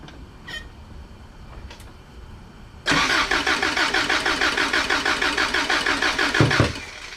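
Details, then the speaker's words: Toyota 22R engine cranking during a compression test with NGK plugs removed: the starter turns steadily for about four seconds, with even beats around three per second and no weak strokes. Readings of 160, compression fine. "160 go 160. everything's fine everything's fine"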